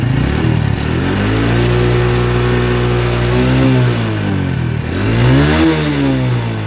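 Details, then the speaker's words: Honda Revo Absolute that popped in the exhaust on deceleration, with both SAS hoses plugged: two clean revs with smooth closing-throttle drops and no popping or bangs; the backfiring is gone. "ketika ditutup selang SS nya ini yang satu saya tutup kedua-duanya saya tutup bukan yang satu saya itu kedua-duanya saya tutup tembakan di knalpot pun sudah hilang"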